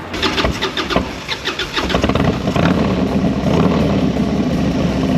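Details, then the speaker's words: 2001 Harley-Davidson FXDX with new carburetor work and straight pipes, no dyno tune: cranks and catches with rough, uneven firing for a couple of seconds before settling to steady idle; over-choked with too much gasoline, no popping. "I was choking her a little too much with some gasoline. Dude, it did not pop once."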